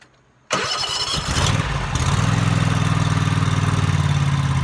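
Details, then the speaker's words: Toro TimeCutter MX 4200 zero-turn mower that ran rough, after replacing both ignition coils (fuel, plugs, filter and valves already done): cranks, fires and settles into an even idle of about four beats a second, no hunting; the coil fix worked. "um so it looks like it did the job"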